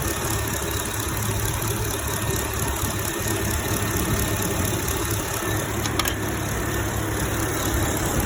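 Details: 2011 Chevrolet Camaro SS V8 at idle with a fast, light ticking keeping time with the engine; owner fears a bad lifter, hopes for failing fuel injectors, others called it normal; cause unconfirmed.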